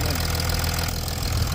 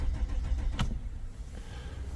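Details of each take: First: 2007–2008 Chrysler 300C diesel after repairing a fuel pipe split at a recent service, started with spray into the airbox: steady, deep, even idle with soft low rumble, no misses or knocks; running smoothly. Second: 2007–2008 Chrysler 300C hire car, won't start after a break-in knocked it out of park: cranks in neutral (not in park) with low rhythmic starter thumps but never fires; later traced to a split fuel pipe.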